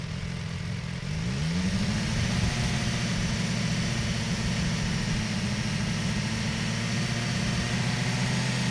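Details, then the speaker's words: BMW S1000XR hot, held at steady revs, engine shown: light even mechanical ticking over exhaust hum; normal valvetrain noise, not cam failure, ticking reduced after switching to Castrol oil. "If your bike is ticking 3,000 to 4,000, you're good. That's normal, especially when it's hot. It's fine. Your bike's not broken."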